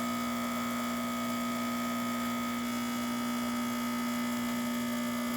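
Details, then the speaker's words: Lucca La Salle dual boiler espresso machine pulling a test shot after full service: steady, even electric pump buzz at constant pitch, no sputtering or dropouts; pump healthy, great shot. "I just kind of grind in it's really making a really great shot"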